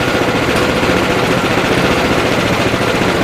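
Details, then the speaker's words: Sears 26-inch snowblower fitted with a new 6.5 HP Greyhound Honda-clone engine in place of the dead 9 HP, auger idling slightly: steady, even fast beat with no knocks or rattles; normal running. "guys you have your spins away it sounds good no bad sounds"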